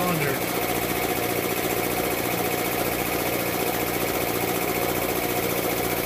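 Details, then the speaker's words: Air compressor with a steady chug and a sharp clack about three times a second from one cylinder, appearing only as pressure builds toward 40 PSI. Piston slap or a bad piston ring is suspected, unconfirmed. "they start to hear it now it's kind of clack in one of the uh cylinders"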